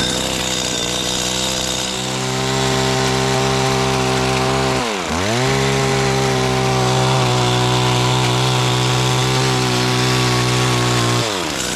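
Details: Stihl FS85 trimmer after repair (missing fuel bulb replaced, reversed return and main fuel lines corrected), cutting overgrown bushes: steady high two-stroke wail holding pitch under load, one quick dip and recovery as it bogs and clears; running healthy.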